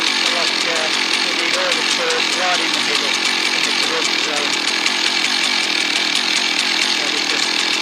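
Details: Husqvarna 1100 chainsaw, previously stalling when throttled (air leak suspected), high steady two-stroke scream holding even revs while cutting after being sorted, no stumbling or dropouts; running properly under load.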